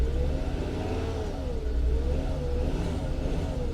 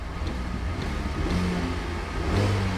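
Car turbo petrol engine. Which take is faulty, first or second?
first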